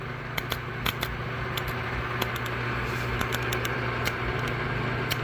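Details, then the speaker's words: A2 pinsetter with flickery power, motor unplugged: irregular sharp clicks a few per second over steady hum; motor start contactor chattering, arcing later traced to a loose solder connection in its supply wiring. "Oh, hold on. I didn't have the camera steady. Contact was chattering."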